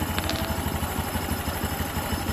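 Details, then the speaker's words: Honda Beat (LED) scooter with a rough knocking noise, tested with the CVT roller housing removed: even, quick putter at idle with no rattle or knock; engine internals healthy, fault is the sticking roller housing, not the engine. "nah halus ya tem- ini halus bias ini sungguh halus sekali seperti Sutra tuh ya berarti ini kendalanya bukan di dalam mesin"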